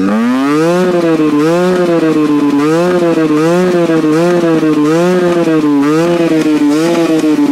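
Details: Husqvarna WRE/SM 125 two-stroke with original exhaust, carburetor cleaned twice: revs surge up and down about 1.5 times a second with a stuttering note, won't run at high revs, heats up quickly to about 85°; cause unclear.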